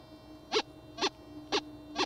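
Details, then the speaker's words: Whites Goldmaster 24k metal detector, sensitivity 2, audio boost 2 (maximum) enabled, over a small gold nugget: four loud rising-and-falling tone bursts about two per second over a faint hum, a strong "face slapper" target signal. "That's a face slapper right there. That's going to pull you off your search, you're going to dig, and hopefully you'll find that nice nugget."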